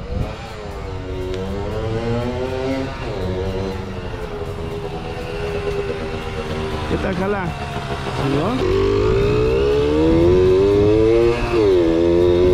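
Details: Kawasaki KS II-50 two-stroke, after carburetor service and tank cleaning, with oil mixed into the fuel because the automatic oil pump is in doubt; crisp note climbs cleanly through repeated revs, no bogging or stumble.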